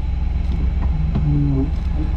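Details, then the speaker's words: 1998 Chevrolet Camaro 3.8L V6 manual: a deep, uneven, shaky idle rumble with a lumpy beat. Engine misfire and rough idle; owner believes it needs a tune-up. "not really running the greatest it's got a little bit of a misfire underneath the hood she's shaky shaky"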